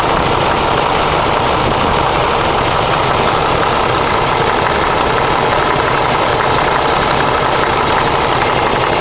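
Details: Ford 302 cu in V8 idling with dull, uneven intermittent knock under steady rumble; owner suspected loose rocker arm, two mechanics diagnosed harmless piston slap.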